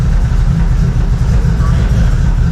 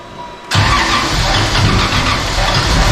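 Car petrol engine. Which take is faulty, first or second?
second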